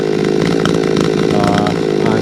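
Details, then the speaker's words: Chainsaw with a new muffler idles rough and throaty with a raspy popping crackle; owner suspects a lost exhaust port gasket (exhaust leak), cause not yet confirmed. "I don't know what you guys think. That thing sounds like it's popping a little bit. It sounds throaty as hell, but I wonder if I maybe lost the gasket"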